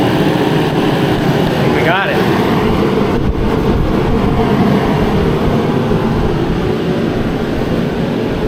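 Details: Mr. Heater Contractor Series forced-air heater on its low setting, lit after a 20-second fan purge: steady, even burner roar and fan rush, a small whistle early on, no sputter or surging. Running normally on low, not loud.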